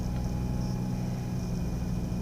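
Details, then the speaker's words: 2005 Mazda RX-8 rotary started after sitting a day and a half, following an earlier rough idle, flashing warning and white smoke: an even, steady low rumble with no stumbles, surging or vibrations. Normal idle; owner suspects coils, others suggest a coolant seal leak. "not getting a rough idle no vibrations"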